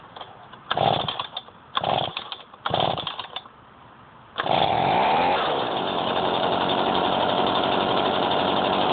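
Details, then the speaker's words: Stihl BG55 two-stroke blower cold-started with choke on, primed twice and throttle locked: three short pulls that don't catch, then it fires at about four seconds and settles into a steady, even high-speed run; a normal cold start. "I'm going to lock the throttle and see if that makes a difference in how it starts. So yeah, so here we go. Well, fired."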